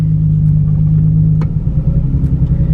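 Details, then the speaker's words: Nissan 350Z with random misfire, odd smell, still doing it after restart: low idle drone turns lumpy and uneven, beat stumbling irregularly; engine misfire, owner unsure whether injector or spark plug. "it's still doing it could this be an injector or a spark plug i don't know"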